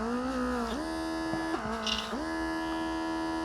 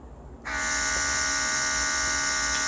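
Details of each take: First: Autolock portable airbrush compressor kit, rated 32 psi, tested with pressure gauge: steady motor hum that dips and recovers; reaches only about 25 psi, output pressure lower than rated. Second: Autolock portable airbrush compressor kit on its second, faster speed: steady high-pitched motor whine with bright hiss, even throughout; normal running.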